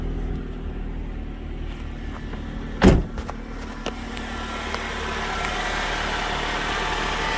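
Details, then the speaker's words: After new air box fitted and codes cleared, engine starts and settles into a steady, even hum with no stumble or surging; problem previously began after a minute of running; smooth, healthy normal idle. "tell you what that sounds pretty darn smooth i'm confident that was the issue before"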